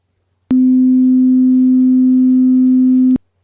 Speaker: and now for the borderline speaker it does have measurable perceptual rub and buzz but not as bad as the bad speaker